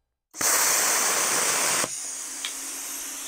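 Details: Bestarc BTC500DP 50 A plasma cutter: loud steady hiss starts suddenly, holds about a second and a half, then drops to quieter even hum as cooling fans kick on; normal pilot arc.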